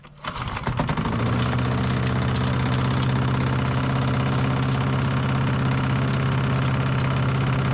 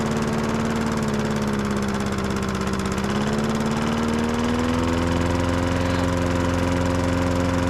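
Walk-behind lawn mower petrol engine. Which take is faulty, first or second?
first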